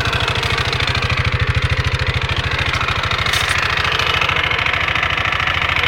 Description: This is strange noise coming from my Leo 250